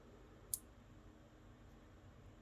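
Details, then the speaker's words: Elegoo Arduino starter kit relay, first test of Arduino outputs driving it: two sharp isolated clicks about two seconds apart over quiet room hiss, relay switching normally; it works. "let's just test out and see what happens moment of truth will it work oh beautiful okay okay it's working"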